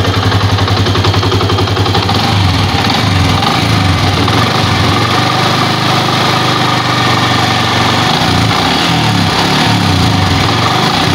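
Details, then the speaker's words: Old Yamaha Vixion after repair for rough rattling and weak power when hot, aftermarket parts and New Megapro piston: revs smoothly with an even, steady beat, no rattle or knocking; much smoother than before. "Oke temen-temen jadi perbandingan suara tadi ya itu lebih halus dan dibandingkan Soraya sebelumnya itu sangat kasar"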